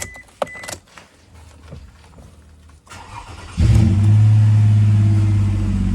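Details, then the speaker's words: Toyota Alphard with a no-revs fault, after the throttle body was replaced and the ECU's white-black wire on the second connector was temporarily fed battery positive: engine catches and holds a steady, strong idle with a slight exhaust rasp from a partly missing muffler. "Оборот кәдімгідей жоғары. Енді газ басам. Газға реакция бар. В общем, істеп тұр."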